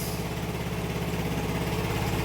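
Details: Yamaha NMAX V1 scooter after the no-start from a clogged fuel injector was fixed and its wiring repaired: it starts and settles into a steady, even idle with a smooth low putter, no misses or knocks.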